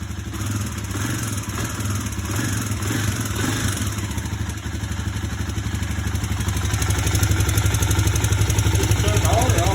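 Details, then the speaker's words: 2009 Kawasaki KLX250S single-cylinder, first start after carb cleaning and fresh gas, using choke: steady even idle thump with slight rise at the end, healthy with no knocks or misses; wasn't running six hours earlier. "Oh yeah. She lives. She wasn't running at all 6 hours ago."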